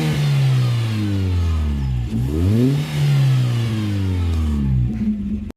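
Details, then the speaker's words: VW Gol, hot engine: revs up and back down with a faint hiss as revs climb, heard when accelerating and lifting off; owner cannot identify the source. "no fundinho quando tipo acelera tira o Penedo ele faz um chiado no motor rapaziada depois de quente"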